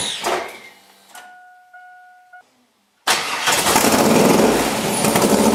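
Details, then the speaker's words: LS7 V8 in an S10, quick garage fire-up with new IAC log and air horns: after a chime and pause it cranks, catches quickly and settles into a steady, even idle; starts cleanly. "But this thing sounds totally different than it did with the other setup. You hear real loud pops, but it's out each bank. It's not just one bank."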